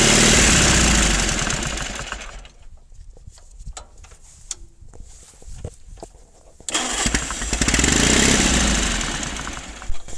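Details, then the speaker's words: 1950s Caterpillar D4 pony motor after sitting at least 20 years, with a severed fuel line and a temporary fuel supply: it catches, runs unevenly, fades and surges back as the primer bulb runs dry; fuel starvation, needs a gravity-feed tank. "Give the primer bulb another pump. We're not flowing enough fuel here to keep the pony happy."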